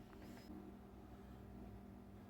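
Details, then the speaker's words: NuTone bathroom exhaust fan that was incredibly loud with humming, after cleaning and greasing: only a faint, steady low hum with no rattle, grind or squeal, so it runs smooth and quiet. "then we'll plug it in make sure she's nice and quiet putting out a nice amount of heat or uh air"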